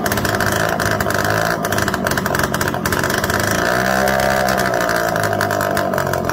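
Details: Suzuki LT80 quad, relay bypassed with a jumper: small single runs loud and continuous with a steady buzzy note and slight wavering, holding speed fine; carburetor needs fine tuning, air box off.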